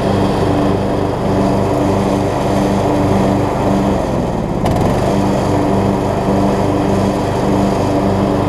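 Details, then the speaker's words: Craftsman LT3000 riding mower, single-cylinder, with a replacement deck and the blades engaged cutting, drones steadily with one brief dip midway before pulling evenly again. It stuck briefly at the start and needs mow cycles to free up. Normal running with blades engaged. "Working good, it looks like. It just sort of stuck right there at the beginning because I need to do a few mow cycles to free it up."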